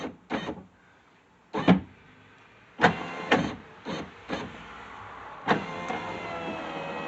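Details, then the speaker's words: Subaru driver's power window after greasing the rail: short, even motor whirs on up-and-down runs with no grinding and no slowing, so it moves freely. A squeak is still suspected near the bottom of the track. "so much nicer okay i wonder let's pull this down a little bit more right here i think down in this bottom right here is where it's squeaking"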